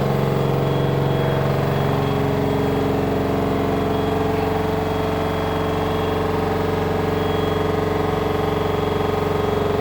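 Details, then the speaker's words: LG front-loader 10 kg wash/7 kg dry smart inverter direct-drive washer spinning with a load: a loud, steady, jet-like roar with fixed droning tones. "This machine with the load is making while spinning time huge noise. It is very abnormal."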